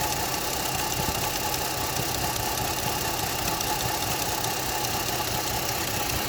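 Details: Opel Astra H 1.4 66 kW petrol idling: a faint, even knocking from under the engine, heard under a lot of hiss; its source is undetermined.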